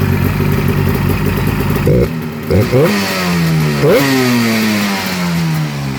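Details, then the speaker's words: 1996 Polaris XCR 440 Special snowmobile converted to EFI, with an XCR pipe on a 500 twin: it fires on a tiny pull and settles into a crisp two-stroke twin idle. Quick throttle blips rise and drop cleanly and snappily; normal, healthy running. "Give it a tiny pull. Oh. fires right up. Throttle is super duper snappy. This XCR pipe on a 500 twin sounds beautiful."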